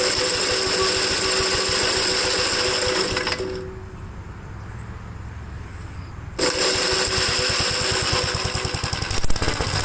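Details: 1957 Gravely tractor after starter service fixed its slow cranking, started once the kill switch was turned on: fast, even firing beat holding steady apart from a brief quieter dip before picking back up; runs properly.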